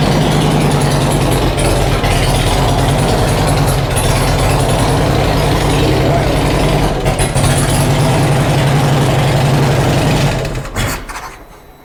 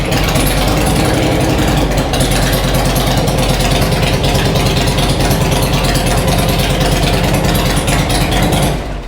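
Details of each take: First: First start of a rebuilt Harley-Davidson Road King V-twin with new cams not yet tuned for them, long unrun and running rich: a lumpy idle with light valvetrain ticking clatter, then shut off; the valvetrain was expected to be clacky at first. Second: Harley-Davidson Road King first start after sitting a long time, with new cams it isn't tuned for: loud steady V-twin idle with an even lope, running a little rich, some smoke from oily parts; valvetrain quieting, sounds healthy.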